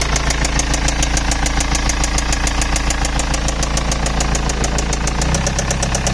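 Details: BMW E91 320d 2006, M47TU2D20 diesel idling; earlier squeaking changed to knocking; sharp regular knock about 200 a minute over steady idle, loud and constant; engine knocking, source not identified.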